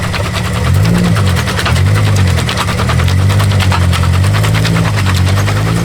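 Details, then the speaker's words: Car with a welded differential (spool) maneuvering at low speed in a car park; a low engine hum under rapid stuttering chirp and scrub that shakes the cabin, worse in reverse, with tires visibly skipping. "and it shakes the whole inside of the car. That's probably the worst part about it. All right, reverse is even worse. You can physically see the tire like like skipping"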